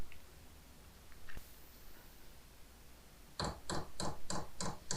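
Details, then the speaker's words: Diesel heater on 500 W ATX desktop power supply during startup with glow plug on, 140 W: quiet, then sharp even fuel pump clicks three or four per second begin as the pump starts; normal startup. "And the pump is started. Now, if you remember from my other test, we were getting about 10 amps."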